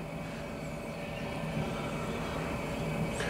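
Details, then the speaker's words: Chinese diesel heater burning used HV46 hydraulic oil on a cold night, oil at minus 7 °C, flue not yet warm, pump inaudible: an uneven fluttering roar pulsing three to four times a second. Rough, unstable combustion, not a clean flame. "can hear it running it might actually start the trouble is it's not running well enough at the moment for it to really tick the boxes and say it's working"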